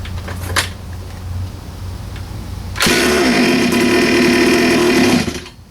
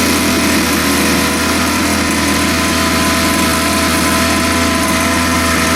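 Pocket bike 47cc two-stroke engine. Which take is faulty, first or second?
first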